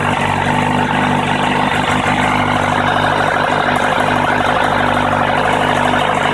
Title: Kawasaki ZRX1100 strange engine sound